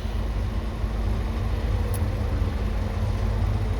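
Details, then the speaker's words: 2018 Infiniti Q50 after reconnecting ABS and transmission on the CAN network: engine cranks and idles with a steady even low rumble, no knocks or misses. "it cranked up it's running the engine is running"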